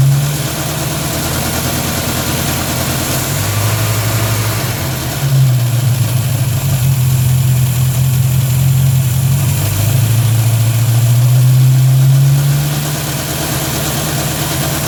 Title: Strange noise from engine bay